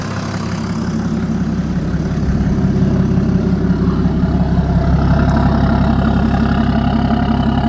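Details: BMW E60 535d M57D30 286 HP diesel after overhaul for overheating and excess coolant pressure (head repair, timing chains, bearings, damper, rebuilt turbos and injectors): deep steady clatter at cold idle, even rhythm, turbo hiss on top. Normal cold idle.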